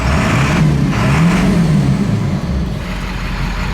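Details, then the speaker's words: Ford F250 7.3 Powerstroke diesel, after correcting an injector harness plugged to the wrong side (owner thinks it ran on four cylinders before): steady, even clatter with smooth low rumble, no misses; running smooth, normal. "well she's running smooth now I think I figured out what it was is the I'm one of the harnesses instead of the high to low side or high side open Swiss ski just wasn't I think it was running on four cylinders when I drove it"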